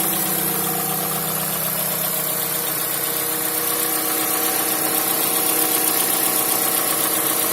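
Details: Mazda CX-5 at idle: crisp ticking knock about four per second over a bright, busy engine sound; knocking present, source not identified.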